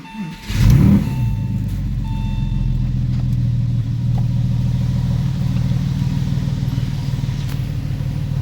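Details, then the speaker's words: Porsche 996/986 engine after cleaning, repairs and camshaft deviation set to two degrees on both banks; starts at once and settles into a smooth, even idle with no rattle or ticking. "feels smooth"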